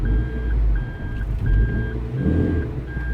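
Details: Toyota MR2 Roadster/Spyder in reverse with handbrake on at four notches after adjustment, new cables, caliper, rear discs and pads: steady high beep about once a second over low engine idle, normal reverse warning; handbrake holds.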